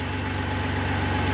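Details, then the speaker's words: 2004 BMW 325i (E46) idling cold after oil filter housing gasket and CCV replacement, revving freely; quick even ticking on exhaust pulses from an exhaust gasket leak that goes away once warm. "exhaust leak that goes away once it warms up a little bit. So we've still got that gasket issue."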